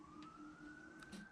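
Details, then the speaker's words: 1987 Nissan Pathfinder VG30i converted to 1995 VG30E EFI, before first start: a thin, steady whine creeping slightly upward in pitch for about a second. Electric fuel pump priming normally. "oh we have exciting news listen for it fuel pump"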